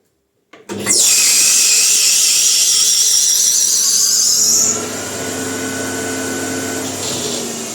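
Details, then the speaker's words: Lathe at its highest speed, around 2500, testing a bicycle disc brake: a loud, steady high-pitched hiss and whine that eases after a few seconds; the operator thinks the belt may be slipping over some parts, not certain. "I'm always scared of the speed because it's so noisy. I don't know, this belt is, I think, it sounds like the belt is slipping over some parts there."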